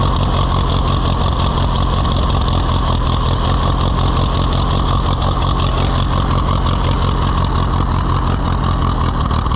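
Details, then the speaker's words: Allis-Chalmers WD tractor, possibly with a WD45 engine, first start attempt: loud, uneven low thrumming idle with a lumpy beat. Rough running from a faulty carburetor float letting fuel through. "let's try to get it away before it quits it's going to quit before we get there but sure carburetor is not happy"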